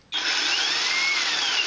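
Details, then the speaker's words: EGO 56V Power Head on a XAVITO 4Ah (claimed 5.3Ah) EGO-compatible replacement battery: steady high-pitched motor whir spins up instantly and holds an even tone without surging or rattling; works fine. "works fine"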